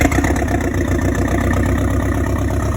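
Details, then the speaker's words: Steady, even idle with a low, smooth hum and no misses, knocks or hunting; Audi 80 cabriolet 1.8T AEB conversion starting and running on its own with the modified ECU, fuel pump heard priming first. "Let's see if it starts and runs on the modified ECU. And there you go. Oh, so it's running. Give it some chance. I'll make it run on its own."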